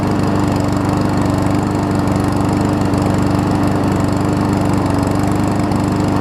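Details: Troy-Bilt self-propelled mower with swapped-in Honda engine running after start-up surge settled: even, steady putter at constant speed, no surging, knocks or rattles; smooth healthy running, though it seemed to run at low rpm.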